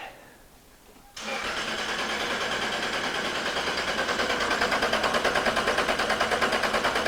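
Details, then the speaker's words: 1999 Toyota Tacoma with a random misfire and P0305 code, cranked with the EFI fuse pulled: even, steady cranking at about three beats a second with no uneven spots; compression sounds healthy. "Okay, just by listening to that, I'm going to say there is not a compression problem. That is good news, Frank."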